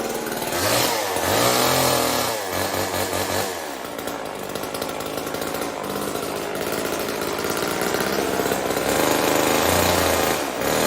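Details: Old Homelite chainsaw, owner guesses 1960s or 70s, running after reassembly and cutting wood: loud two-stroke buzz revving and dipping as it bites, pulling cleanly without bogging; healthy under load, though owner says it could be tuned better.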